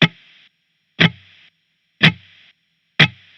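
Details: Spark Mini guitar amp, Stratocaster in position four, SM7B microphone, no gate, compressor or drive: muted strums about once a second, each trailed by a half-second hiss that cuts off abruptly, like a gate chopping noise.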